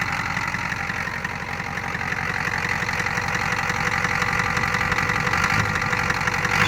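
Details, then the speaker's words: 1988 Ford F250 with the 6.9 IDI diesel, after fixing a no-start by cleaning the battery positive strap and terminal-block connection: even rattling clatter, rising slightly on fast idle. Normal diesel idle. "You got to love the old IDI rumbling. It's popping along like that."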